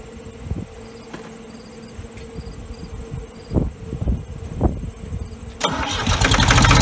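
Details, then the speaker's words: Ford 3000 diesel with Select-O-Speed, after freeing rust-stuck Simms injection pump plungers, cleaning and testing injectors and bleeding the lines: a few seconds of clatter, then it catches and builds to a steady, even run; normal start and idle. "look at that sounds like it's running pretty good so that sounds like it's running pretty good"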